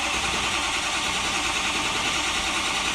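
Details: 2005 Ford F-350 (title says F250) 6.0L diesel that died while driving: steady starter whirr at about three turns a second with no firing at all; cranks but won't start, with only ~103 psi injection control pressure against 1500 desired; high-pressure oil pump suspected dead.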